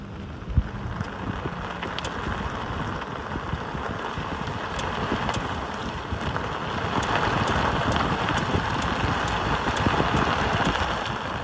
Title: Model 3 clicking sound while turning right